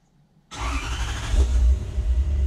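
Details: Toyota 1UZ-FE V8 swapped into a Toyota Surf/4Runner, running after rewiring and fuel pump fix, on a basic base map: fires at once, settles into a deep, even idle with smooth revs and no misfire.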